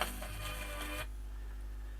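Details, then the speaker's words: BSR turntable fitted as a replacement in a radiogram, earth lead not yet connected: a loud steady low mains hum under the music that stays when the music stops. Hum caused by the poor earth connection; some wow, likely from the idler pulley needing lubrication. "there's a lot of mains hum. God blimey."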